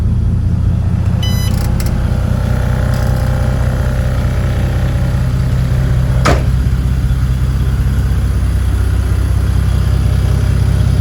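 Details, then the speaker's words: 1986.5 Toyota Supra MK3 converted to 2JZ-GTE VVTi, after fan clutch replacement for a leaking clutch: next-day cold start idling slightly rough, deep steady rumble with soft even fan whoosh, no roar or rattle; normal fan clutch. "I'm going to do a start this cold start the next day just to let you know know what the fan should sound like when you start"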